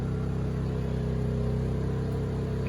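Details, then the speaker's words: Honda EU2000i inverter generator, after carb rebuild with reversed gaskets corrected: smooth, steady low hum under a 1500 W heater load, no surging or stumbling, LED not fading, running about 10 minutes; normal running under load. "generator even seems to be running way nicer for sure not choking itself out it's even going about 10 minutes now"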